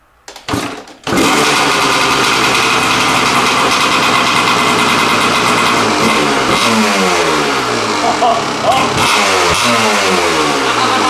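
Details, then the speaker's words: Kawasaki KDX200 two-stroke after fixing a long-running rich condition: short start-up, then crisp, even buzz climbing cleanly through repeated blips, coming onto the pipe; still smokes a little, runs normally. "that's how this engine is supposed to sound harmony crispness you can hear it just touching and wanting to get up on the pipe when it revs up"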